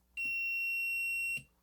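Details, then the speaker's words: DigiTech Bad Monkey pedal footswitch tested with multimeter in continuity mode: single clean high beep each time the switch is pressed; continuity confirmed, switch works. "yep every time I push it it beeps so we have continuity the switch is working fine"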